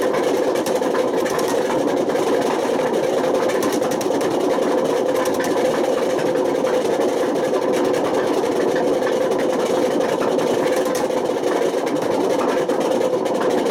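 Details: Washing machine at high spin with failed drum bearings: loud, steady rumbling roar without let-up; damage has spread to the spider and worn the motor, and bad bearings can smoke, overheat, spark and start a fire.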